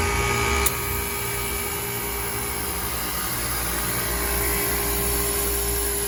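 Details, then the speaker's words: Old 2008 KKT chiller running in tune: continuous compressor drone with steady mid tone and airy fan noise, no knocking or rattles; holding temperature within 0.4 °C of set point, though circuit two compressor has a problem. "that sounds good so if you have one of these chillers this is what it should sound like if everything is in tune"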